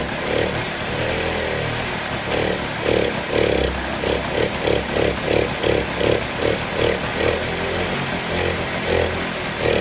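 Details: 1958 Allstate (Sears) Vespa 125cc two-stroke, sitting about a year, started first kick on choke with fresh gas; buzzy popping idle steadies and stays even while warming, running smooth, easier start than expected.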